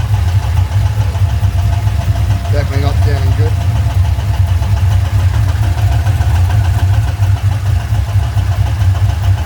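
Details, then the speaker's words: LS1 V8 at idle, recently fully serviced, good oil pressure, no warning lights: a fast, even tick from the top end of the driver's side bank that started suddenly. The owner leans toward a lifter or rocker (unconfirmed). "cars just developed they knock through the top top driver's side Bank oil was good no lights coming on"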